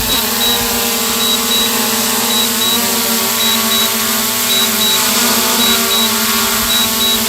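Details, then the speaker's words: DJI Mavic Air 2 controller as the drone loses GPS and can no longer hold its position: short high double beeps repeat about once a second over wind and rotor hiss; a warning from the remote controller. "Oh, no GPS, back it up. That's when things can get really hairy. When it loses GPS, it loses its ability to kind of hold itself in place."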